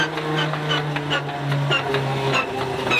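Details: Stinson L-1 aircraft engine after the manifold was drained and it was pulled through: uneven popping and spitting over a wavering drone, running rough as before; crew suspects an accessory drive fault, cause unclear, engine likely coming off.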